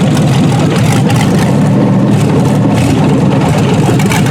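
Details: Junkyard 6.0 L Chevrolet V8 from a 2002 Chevy truck pulled from a mud hole (no water in oil), first test run on a test harness, warmed up. Deep, even steady idle rumble with no knocks or ticks; normal idle.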